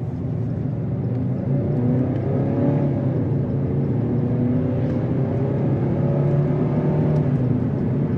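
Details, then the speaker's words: 2005 Subaru Legacy GT, turbo, automatic, 180,000 miles, about 50 miles later, with a blown throttle-body coupler leak found (intercooler also leaking): engine climbs smoothly under throttle with no stumble, accelerating roughly normally in automatic. "So put about 50 miles on the car now, and it seems to be accelerating normal-ish in automatic."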